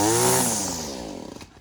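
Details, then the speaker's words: Two-stroke string trimmer after being unflooded by pulling with throttle held: high buzzing revs then smooth wind-down to a stop, no sputter or bogging, running normally. "So my friends, that is how you can successfully unflood your small engine."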